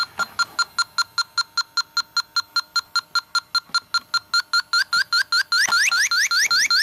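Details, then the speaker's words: TIF refrigerant sniffer on a Subaru A/C system: steady chirps around two per second speeding into rapid rising beeps near the suspected expansion valve; refrigerant leak found, oily residue on gasket. "you can see it's kind of oily right there yeah there's a leak even the gasket's getting oily around it"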